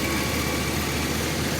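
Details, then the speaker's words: 2005 Chevy 2500 van, 6.0 V8, earlier rough idle, dying at stops and misfire-like codes; even, smooth idle with a regular, unbroken beat and no stumbles while running with the MAP sensor unplugged; owner plans to replace the MAP sensor. "Look how smooth it's running."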